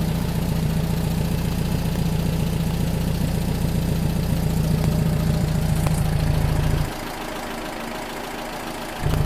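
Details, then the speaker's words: Rebuilt 40HP air-cooled engine from a 1962 VW Type 2 bus that sat over 40 years, oil cooler replaced to stop an oil leak, idling after first start: an even, steady putter with no misses or knocks and no oil leaks. "should make Rusty happy yeah it sounds good man really good stop making me look bad"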